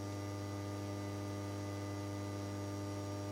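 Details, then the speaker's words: HP 8901B modulation analyzer after a power supply repair that cured its flickering display: a constant low electrical buzz with no whoosh of spinning blades, from the cooling fan, which is locked up. Seized cooling fan buzz. "the buzzing's the fan cuz I got it locked up"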